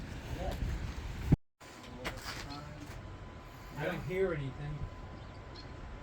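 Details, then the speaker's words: 1992 Chevrolet C1500 with a 350 TBI V8 and automatic, revived from a field, after a new fuel pump assembly and spark plugs: a low, even rumble with no misses, stumbles or surging. The fuel pump was the whole problem; it now idles smoothly. "but that was ultimately what was keeping it from running so we got smooth idle"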